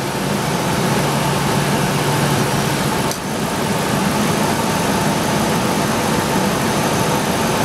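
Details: IAC valve test using a bi-directional scan tool: steady, even idle hum with no misses, surges or knocks; IAC passed the tests; normal idle.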